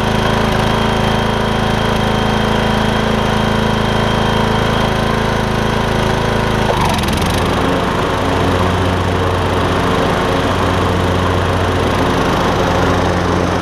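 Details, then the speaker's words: MTD Craftsman LT2000 riding mower after belt and pulley repairs, blades engaged: steady single-cylinder drone with an even beat, note dropping slightly as the deck takes load and staying smooth; strong in all five positions, healthy mowing run. "whenever you have the blades on it's strong in all five positions which is what i was looking for"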